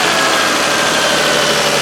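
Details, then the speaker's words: Toyota Highlander after replacing the alternator with a bad bearing and fitting a new belt: smooth, even idle with a steady hum and no squeal, chirp or belt slipping on startup; normal idle. "Nice and quiet, no slipping sound when it started."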